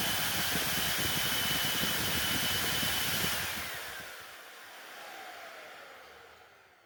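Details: Hoover Elite Rewind Plus upright vacuum after repair and reassembly (extremely rusty belt shaft cleaned up): smooth, even high-pitched motor rush, no rattle or scraping, then a clean spin-down at switch-off; motor and brush roll healthy.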